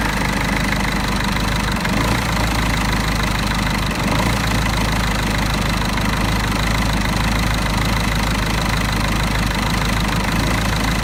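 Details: Mercedes OM646 diesel cold idle below 60 °C coolant: uneven lumpy beat with occasional stumbles from a faulty EGR valve, rough idle lasting only until the coolant reaches 60 °C.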